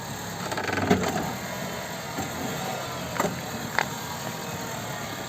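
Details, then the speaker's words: Renault Clio front suspension loaded on a ramp: sharp irregular wooden clunks, also over bumps and while parking; oil-stained front shock absorber leaked its oil and has play, shock suspected drained and rusted inside. "but all the noise comes from what the shock absorber is."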